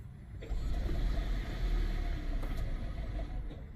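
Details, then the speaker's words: 2014 Toyota Prius, 167,300 miles, overdue oil change, check engine light, growl while driving: at startup the engine idles roughly with a deep rumble and an uneven knock about three to four times a second; suspected low oil. "Oh, it is not sounding good. Actually, let's get it in and check the oil. It's knocking."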